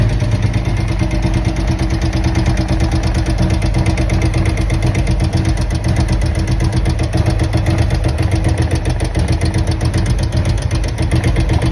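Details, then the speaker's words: 2023 Harley-Davidson Road Glide, Milwaukee-Eight 114 with adjustable pushrods, new roller tappets and aluminium tappet cuffs: fast even ticking high in the idling V-twin; owner suspects rocker arm. "So, as you can hear it, something's really ticking in there. It almost sounds like uh a tap it, but it sounds up high. So, I'm thinking maybe rocker arm."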